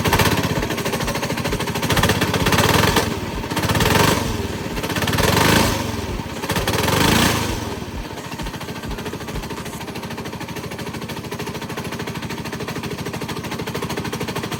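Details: Coleman 196cc mini bike engine revving in bursts with a harsh, rapid metallic banging throughout; rod knock suspected, not confirmed.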